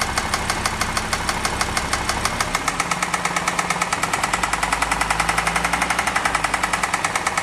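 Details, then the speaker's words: Audi RSQ3 engine: sharp, even ticking about ten per second, more pronounced on one bank, not from the timing chain, and worsening with revs. Owner suspects lifters and plans replacement. "so to me it sounds like it's coming more pronounced from this area [Applause] here it doesn't sound timing chain I can't hear anything here"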